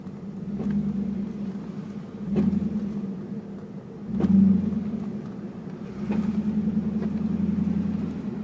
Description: Sound I hear when my car is going slow